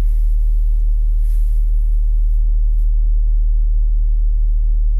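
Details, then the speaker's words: VW Golf 3 1.6 AEE petrol with LPG, fully cold start after replacing Valtek 3 Ohm gas injector rail (~70,000 km): smooth even low hum, steady faint tone, no stumbles or misses, idling untouched until automatic switch to LPG; normal cold idle. "to czekamy. Bez gazu, bez niczego, po prostu tak jak sobie chodzi, tak się przełączy automatycznie, bez żadnego szarpnięcia."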